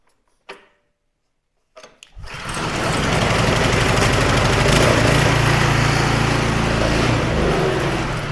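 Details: Snowblower small engine after smoke possibly from owner tipping it to drain gas, plug torqued in: quiet, then catches and settles to an even steady beat about 214 per minute, running clean.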